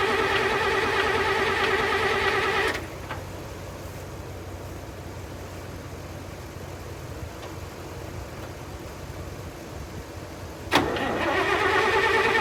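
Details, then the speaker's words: Long-sitting International 656 tractor on a jump pack dropping to 9 V: runs briefly, dies into long cranking, then catches again; stuck carburetor float, now stuck the other way. "The carburetor real quick, and the flow was stuck. Now it's stuck in the opposite position."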